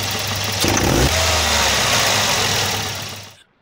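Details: Volvo 240 with a B230F engine after fitting a replacement distributor. It now runs with a steady, even note and no pinging under revs, then shuts off cleanly; normal running.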